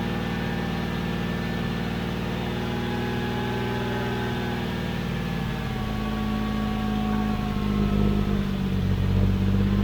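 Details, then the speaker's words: 1991 GMC Sierra 4.3 Vortec V6 after new distributor, started with spray into intake: steady even engine note, constant low hum, no knocks or misses; running pretty decent, normal running. "Just see how it sounds. Was working good. Okay, it's actually running pretty decent."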